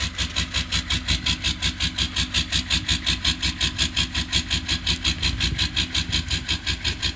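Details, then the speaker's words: Old Detroit diesel at -22°C, not plugged in overnight, only 6 of 8 glow plugs working: heavy, even chuffing with a harsh rattle on each beat, a rough, labouring cold idle. "well six of eight cylinders firing like chimp long as nobody calls Environment Canada we might be fine really wish I left her plugged in last night - 22 today"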